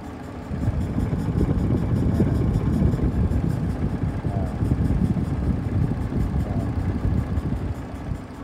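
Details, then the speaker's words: Audi Q7 V6 idling rough and uneven with an irregular low stumble from a dead cylinder. A faulty ignition coil arcs, the ECU cuts that injector and the check engine light blinks. Engine misfire at idle. "Ang problema nito guys ito itong coil na ito. Tumatabl ng kuryente sa number one."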